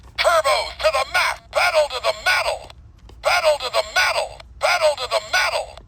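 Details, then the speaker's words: Toy voice playback through the speaker comes out hollow and smeared with no low end, like talk underwater; distorted speaker output. Lots of corrosion is present and a capacitor is suspected bad; owner reported it didn't work; speaker itself possibly bad, unconfirmed. "And also, for some reason, this speaker sounds like it's in water."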